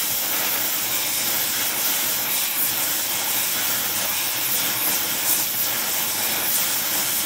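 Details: Oxy-acetylene welding, small mixer torch, Air Products Integra cylinders with built-in regulators and flashback-arrestor couplings; aiming for 4 psi on a 380 psi gauge. Steady even flame hiss, no popping or sputter; normal clean torch flame.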